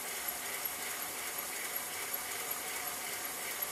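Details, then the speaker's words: Pennsylvania A3 switcher model steam engine on its first run on compressed air, using 15–20 PSI with compressor noise in the background. Steady air hiss with faint, irregular puffs about three per second; parts are too tight and valve timing issues are suspected. "So things are too tight first of all and I think there's probably some valve timing issues, but it does run and that's pretty awesome."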